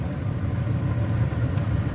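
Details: 2006 American Standard Freedom 80 Comfort R (Trane) furnace, submerged in basement flood, after replacing bad gas valve: steady, low, even burner rumble with no pops, rattles or surging; running normally.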